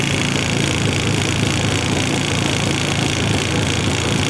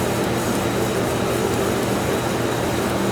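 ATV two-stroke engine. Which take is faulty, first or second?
first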